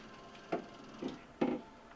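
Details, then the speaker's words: Frigidaire PHS68EJSB0 side-by-side refrigerator with a not-cooling complaint, unit switched off at the control: soft ticks and short whirring bursts as the rear damper motor closes fully; normal operation. "so we're going to come up to the control and turn off the entire unit and at that point you can hear the the motor"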